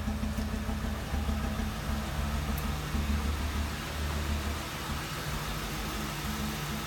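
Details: 2007 Ford Crown Victoria V8 with a lumpy, uneven idle and a stumble about once a second from a cylinder 8 misfire; car shook on highway passing and went into limp mode.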